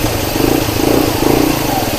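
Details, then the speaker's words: Toyota Corolla petrol idling with an uneven, lumpy misfire and no check-engine light; tests showed one ignition coil giving weak or no current, so the faulty ignition coil was the cause. "तो जो इसके अंदर problem नज़र आ रही है वो है इसकी इग्निशन कोयल ख़राब।"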